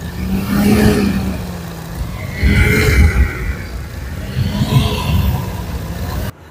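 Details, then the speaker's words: Radiator fan motor of a car that overheats climbing hills, a weak fan being the first suspected cause: rough, rasping whir swelling and fading in slow waves over a low hum; worn radiator fan motor growling. "روش دوم صدای موتورفن هاست. معمولا موتورفن‌های خراب صدای خر میدن."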